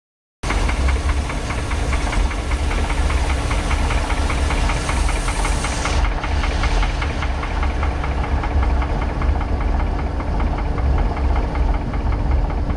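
Heavy low rumble of a big-block marine V8 at steady speed with a dull repeating knock underneath; source of the knock unknown.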